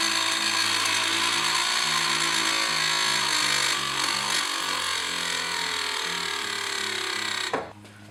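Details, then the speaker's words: Early BMW E30 power window motor, reinstalled after disassembly and cleaning: whining hum that drops in pitch and labours, slowing while the button is held. The motor is still binding. "it still sounds like there's something binding in this motor. Um, it's definitely slowing down as I help hold the um mo uh window button."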